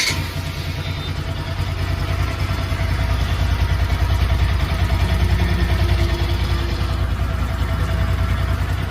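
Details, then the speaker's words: Bajaj Pulsar NS200/RS200-type single-cylinder after tappet tick repair and top-end reassembly: steady idle with only a faint, even light ticking, normal tappet noise; the abnormal tick is largely gone. "And RS थोड़ा सा टेपेट का साबुन रहता है पहले से ही तो यहां पर इतना साउंड वह चलेगा बट काफी हद तक जो फिक्शन वह बंद हो चुका है"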